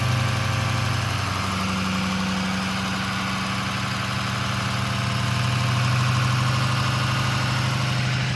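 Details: Ron's 6.0 Powerstroke diesel from South Carolina idling after first fire-up, still cold and being warmed up before driving so bearings and sleeves heat in: steady, even clatter about three to four pulses a second, no misses or knocks; healthy normal idle.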